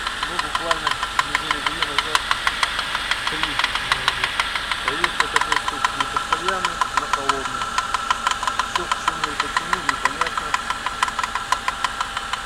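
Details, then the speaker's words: 2008 Suzuki Grand Vitara with J20A 2.0 inline-four, 87,000 km, cold idle: a light, sharp knock at about three per second that disappears once warm, lasting 3–5 minutes. Owner suspects spun crank bearings or piston slap, not the timing chain. "Вот на холодный такой стук. На горячий он пропадет, его не будет."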